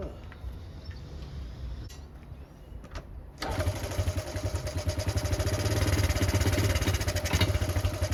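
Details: Honda Cub C70 during restoration, after fixing the earthed points wire that caused ignition timing trouble: the engine catches and settles into a steady, even beat that picks up smoothly; now runs clean.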